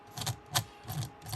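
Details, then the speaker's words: HB Racing D2 Evo rear diff rolled by hand: four short gritty, notchy rasps of rough gear mesh; binding traced to the eccentric bearing holder, smooth two dots up but rough two dots down, a suspected molding issue. "so that tells me that these eccentric bushings especially on the two dot one two dot up or down this eccentric holder is a molding issue"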